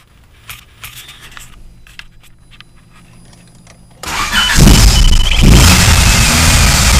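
Quiet rattling of keys, then the engine catches and runs loud with a coarse rumble as it revs; source of the noise unclear.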